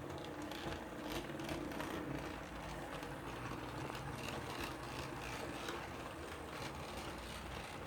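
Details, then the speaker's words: Model HST with decoder swapped, same motor as the Class 66, lapping track: faint steady rasping grind under track rumble; motor quite grindy. "there you go as you can see gary's kindly done that and she's got the same motor as the 66 so you can actually hear it's just quite quite quite grindy"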